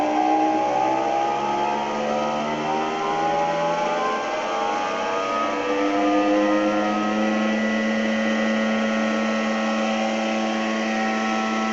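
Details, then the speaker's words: NordicTrack treadmill at 8 mph with drive belt disconnected: loud whining tones climb with speed then hold steady; noise confirmed from the drive motor itself, motor to be replaced. "and as you can hear it's Extremely Loud and of course this pulley is not turning because we disconnected the spring so this confirmed to us and to the sales customer service person that it's the motor"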